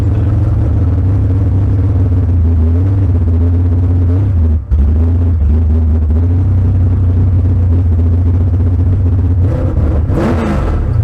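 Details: Bad Penny, automatic transmission just fitted with a new Freak Show torque converter, street test: steady deep engine drone under load with a brief dip mid-clip where a gear change lands crisp and quick; shifting properly, normal.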